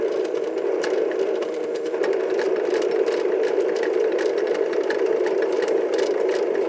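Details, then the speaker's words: Mid-1960s Lloyd's TY-799A portable tape recorder under repair: a harsh, steady rasping hiss with irregular crackles comes loudly from its speaker. "that noise from the speaker I'm getting a loud hiss from the speaker this is not very good here"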